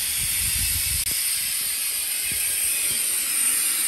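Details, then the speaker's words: 1987 GMC General converted RV at idle, front drive axle brake relay valve leaking; steady loud hiss of escaping air, system only holding 90-94 psi at idle, too low; relay valve to be replaced. "Well, guys, there you go. You can hear how bad that leak is. In fact, at idle, I couldn't get the truck to maintain over 100 pounds of pressure."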